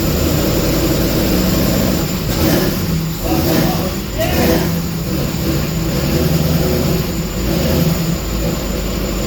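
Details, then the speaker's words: 1955 GMC 100 pickup, first start on a freshly rebuilt 327 V8 after building oil pressure: steady, even rumble with smooth, regular firing and slight rev rises, no knocks or ticks; healthy normal idle before break-in. "yes yes oh my god it sounds good"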